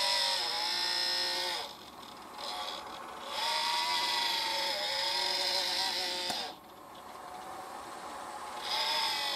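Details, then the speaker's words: New GMA465 multi-charger after about 20 hours of repeated NiCd charge/discharge cycles: shrill, wavering whirr-buzz in bursts from its failing internal DC cooling fan, suspected blade contact or broken shaft. "買ったばかりの充電器から変な音が鳴り始めました『ニッカドバッテリー』の充放電を繰り返していたら２０時間くらい使用した所で、この音が発生"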